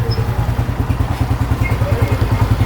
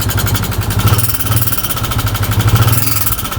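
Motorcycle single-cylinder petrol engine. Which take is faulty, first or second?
second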